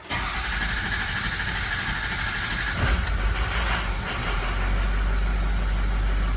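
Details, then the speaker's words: 550 crane-body bucket truck diesel, in for no base oil pressure, low-pressure oil pump pulled: cranks briefly, fires and settles into a steady, even diesel clatter at idle; the injectors sound good and it is pumping oil. "oh injectors sound good all right it's pumping oil right now"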